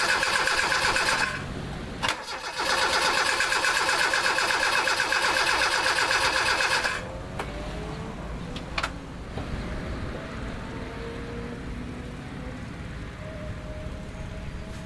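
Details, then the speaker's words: Mazda with P1345 no cam position sensor signal, restart attempt on hot engine: strong even cranking for about seven seconds that never fires, then silence, fuel smell noted; hot no-start consistent with a failing cam sensor. "nothing I smell gas but nothing else so yeah that thing is hot hot"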